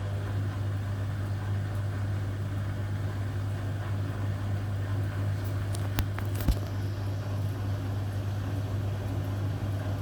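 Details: Hotpoint Aquarius WMA58 washing machine on a test spin: a continuous deep, low droning rumble that stays heavy throughout, from worn (shot) drum bearings; the machine was scrapped because of them.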